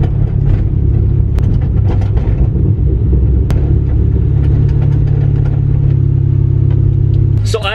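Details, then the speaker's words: 2008 Mustang GT V8 with self-installed Borla S-type stinger exhaust and Pypes off-road H-pipe (no catalytic converters), heard from inside the car: deep drone with scattered sharp rattles and clunks over bumps; owner suspects incorrect installation. "I installed it myself maybe I installed incorrectly I don't know but as you heard it just rattles and shakes and makes so much noise and it is very annoying"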